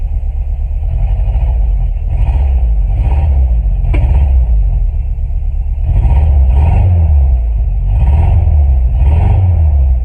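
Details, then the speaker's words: 1996 Chevy S10 after engine rebuild with milled head and ported, polished intake, first start entering break-in: deep even note rising and falling smoothly with throttle blips, no knocks or ticks, quiet; normal running. "There we go, y'all. It's running. It's quiet. I'm gonna let it go through its break-in process."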